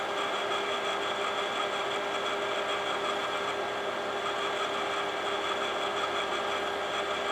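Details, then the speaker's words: Imation LS-120 SuperDisk drive (one of seven bought used), writing: steady whirring with thin high buzz, no bass; head operation sounds different, owner suspects track alignment not working; written data turns out corrupted. "I don't know what the deal is, considering that it's working with SuperDisk okay at the moment. But yeah, that head operation sounds different in that drive for sure."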